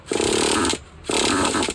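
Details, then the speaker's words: Used Traxxas Jato 2.5 nitro RC truck, low-side needle leaned an eighth turn: two short buzzy bursts under a second each that die away; it fires but won't stay running and needs more idle air gap or more low-side fuel. "okay we'll give it some throttle so whenever they're doing that they either need more air on your idle Gap or they need a little more fuel on the low side"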